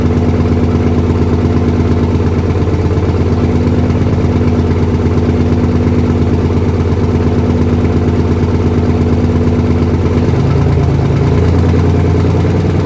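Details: 1968 Dodge C500 truck starting on a 55°F day, lots of smoke: deep, even idle with a regular low thump near three beats a second settling slightly lower, air system building to about 90 PSI; runs smoothly.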